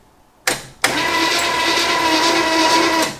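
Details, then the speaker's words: 1964 Chevy Impala, 283 V8 with Powerglide, off the road 28 years: steady starter whir about two seconds, cranking slowly, no firing; no start, ignition points and coil being checked. "don't sound good i need spinning fast but it's spinning i suppose"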